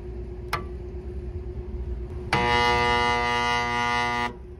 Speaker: as you can see it wants to turn but it will not turn so there may be a problem just with the start winding on this particular motor